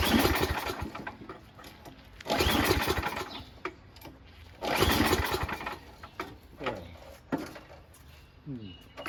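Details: Noma/Murray Snow King 27" dual-stage snowblower, 9HP Tecumseh, before repair, with fuel and oil checked, primed, on choke and throttle high: slow recoil pulls turn it over without a single firing stroke. The owner suspects no spark or the shutoff; the plug looks new and clean.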